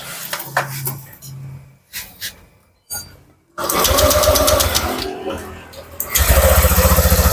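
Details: Honda Vario 150 after an engine rebuild for overheating, fast coolant loss, oil consumption, warning light and rough running. First start after reassembly with coolant filled: kick attempts, then it catches and settles into a quick, even patter with no knocking.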